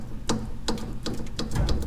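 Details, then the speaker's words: Dodge Dakota R/T 2WD, truck raised, joint rocked by hand: sharp metallic clicks, two or three a second, from the loose intermediate steering shaft joint causing column clunk and chatter; worn joint, shaft replaced. "so if you go like this you hold one side of it and move the other you'll find in my case that hear that click"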